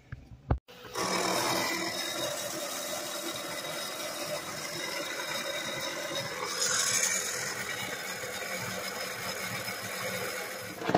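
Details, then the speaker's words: 2006 Mercury Grand Marquis air suspension compressor under the hood running about ten seconds with harsh rattly buzz, sounding god-awful; rear end no longer rises, compressor suspected not filling rear airbags, replaced. "I'll put the clip in of it running when he starts it just sounds god-awful and the rear end ain't coming up anymore"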